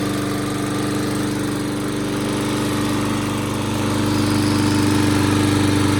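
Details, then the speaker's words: Toro mower, model 20370, after carburetor cleaning, reassembly and fresh gas: steady, even single-cylinder drone at constant speed with no misses or surging. Now starts and keeps running instead of dying. "So, as you can see, it runs so much better now, and now it will actually start and not die."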